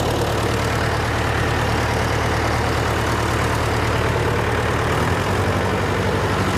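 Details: John Deere 401C diesel with cracked block, idling: rough, uneven lumpy beat with one cylinder not firing; temperature check shows number three cold while others hot, confirming an injector problem.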